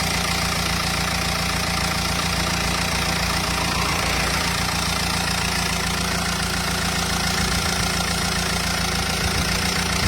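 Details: Renault Espace 2.0 dCi diesel at idle: rough, uneven tapping about three or four times per second over the clatter; abnormal engine noise.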